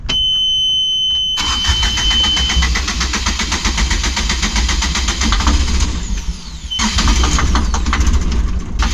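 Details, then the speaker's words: Yanmar diesel on catamaran after injectors cleaned, following smoky no-start: cranks, catches and runs with uneven lumpy beat and ragged idle; owners unconvinced it's fixed, cold-morning start still to be tested. "Okay, let's crank it over and see if it starts. And the the moment of truth is going to be tomorrow morning, when it's cold."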